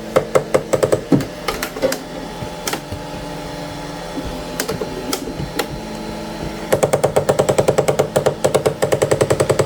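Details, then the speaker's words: Anycubic ACE Pro filament feeder, first slot, retracting: sharp clicking bursts two or three a second, gears grinding and jumping instead of feeding smoothly; red slot runs smooth with no clicking; cause not found. "you guys see that it's like this thing is grinding"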